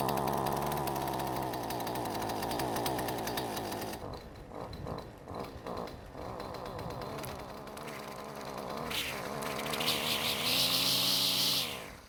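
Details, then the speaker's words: Husqvarna two-stroke string trimmer, a borrowed machine with a no-start history: it idles fine and takes quick trigger squeezes, but after too much throttle and let-off the note sags and it dies. Stalls on deceleration, cause unclear; parts-machine swaps planned. "so it will idle all day long and if you give it a couple of quick trigger squeezes it's okay too but if you give it too much throttle and then let off it'll stop which pretty much makes it impossible to use"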